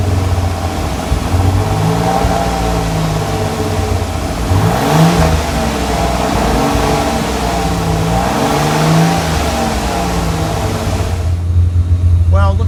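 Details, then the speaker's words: Kit car replica on 1986 Fiero GT chassis, after replacing a valve to cure high idle, in neutral or park; fast idle with revs swinging up and down, tach roughly 1600-1800 rpm, still too high; high idle. "Looks like the tack is still riding high. We're looking at roughly around, I don't know, it looks maybe between 16 and 1800, which is still too high."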